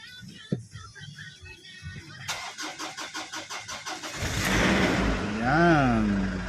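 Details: Ford Everest hard start: about two seconds of steady cranking pulses, then the engine catches and revs up; a slow, reluctant start with no evident cause.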